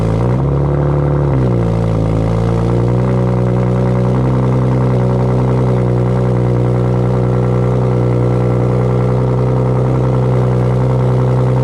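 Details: 2008 BMW 335i E92 with FI exhaust, cold start: deep, even burble settling from high cold-start idle to lower steady idle after two seconds, smooth, no knocks; healthy.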